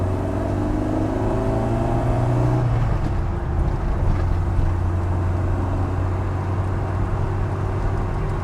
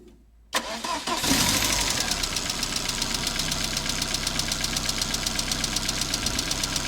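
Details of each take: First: Ford Fiesta MK1 Zetec project after engine transplant, first drive on the new engine: steady low drone pulling smoothly through the gears under acceleration, no knocks or ticks; much quieter than before, pulls nearly 150 hp; clutch needs adjusting, fifth gear stiff. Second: Ford Fiesta MK1 Zetec project, original scrapyard engine that arrived incomplete: cold start catches, then a sharp light tick about four per second over idle, present since purchase; owner suspects ticking valves, unconfirmed; engine later replaced.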